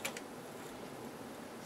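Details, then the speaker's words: Akai AM-2800 integrated amplifier: a few sharp clicks, then a short crackling burst as the power switch is worked; the power switch contacts are arcing inside, a fire risk, faulty switch. "another problem this thing has is the power switch is kaput because sometimes when you turn it on you can hear it arcing inside and that's really a bad situation to be in our switch is arcing"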